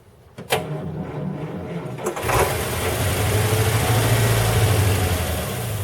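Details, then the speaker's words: 1940 Buick straight eight on its first start in 30 years, after a valve job: cranking, then it fires briefly and runs rough on starting fluid with the throttle closed. Gas from the rear tank hasn't reached the carburetor yet, and the carburetor's condition is unknown. "it's not going to give me gas yet started but hasn't got gas up here yet"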